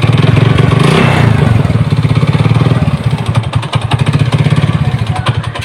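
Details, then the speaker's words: Honda Supra motorcycle with mixed BMC/Honda crankcase halves: rough knocking on each idle beat at low or stationary throttle, sometimes gone with throttle open; traced to a loose nut on the clutch side. "Nah, kalau gas kecil, gas stasioner bunyi ya, bunyi. Tapi kalau keadaan gas kebuka kadang hilang."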